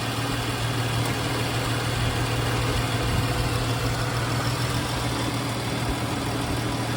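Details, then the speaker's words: 2013 Chrysler 300S V6 AWD at 152,000 miles, cold weather, idling: steady even hum with light injector patter, little valve or lifter tick; sounds very good. "yeah so still sounds really good"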